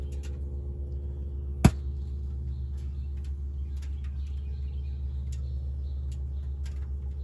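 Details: Ford Transit idling: steady low rumble broken by a single sharp pop. Popping noise, cause unknown.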